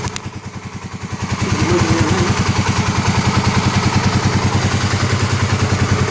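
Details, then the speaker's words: 2009 Kawasaki KLX250S first start-up after 300 big bore kit and new gaskets, idle adjusted up, oil checked in window: even, steady single-cylinder thump with evenly spaced beats, no misses or clatter; normal clean idle. "what's the oil like in the window uh all right good that's how it sounds good"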